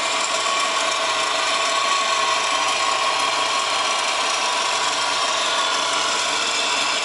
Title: WRX GDB strange noise (Solved- Bad A/C Idler Pulley)